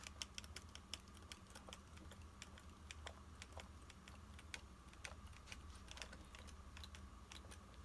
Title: PANASONIC LUMIX G9 BODY RATTLING NOISE